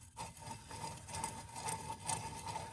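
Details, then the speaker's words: 1994 Honda CR250 engine teardown: worn crankshaft main bearing spun by hand after removal gives gritty, crunchy rasp with rough, sticking pulses versus the smooth other bearing; bearings are shot and need replacing. "nice and crunchy in there loud quiet smooth can even barely hear it oh it's got a little it's sticks a little bit these these bearings are just toast"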